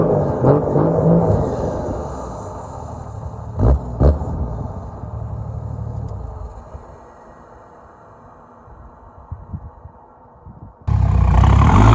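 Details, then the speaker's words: Toyota LandCruiser 105 series turbo diesel after an HPD dyno tune (85 kW at the wheels), idle seemingly raised slightly. Deep diesel rumble with two quick throttle blips, then an even idle with a slight turbo whistle at the exhaust and a changed tone; healthy. "I think I've noticed they've wound the idle up a little bit, which gives me more accelerator at hand. So you've got a little bit of a turbo whistle on idle at the exhaust, which is awesome."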